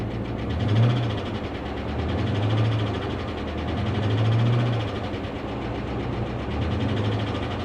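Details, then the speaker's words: V8 at Copart, 63,460 miles: steady idle with light fast tapping at engine speed, top-end tick; hoped to be from being parked, may not clear; cause unconfirmed. "the engine sounds well she's got a healthy tick going on I'm hoping that maybe it's been parked for a while and that's going to clear up"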